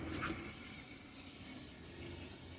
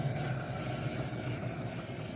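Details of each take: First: 2011 Chevy Impala, good (left) rear wheel spun freely: only soft even swish of brake pads touching rotor, no hum or growl; normal bearing, unlike humming bad right rear bearing. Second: 2011 Chevy Impala with a humming noise while driving, right rear wheel spun by hand: a low, rough, gritty growl, harsher than the other side, with slight play felt, indicating a worn rear wheel bearing.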